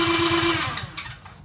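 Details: 50cc Kazuma Meerkat Chinese quad with a new starter fitted after a grinding noise: quick, even whirring crank for about half a second, then it winds down, no grinding. Old starter confirmed bad. Normal starter cranking.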